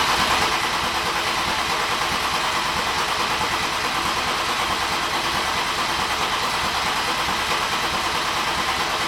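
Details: BMW M50/M52 straight-six turbo build, already filled with oil, cranked before its first start to bring up oil pressure: steady, even starter whir with loose rhythm and no firing; normal priming crank.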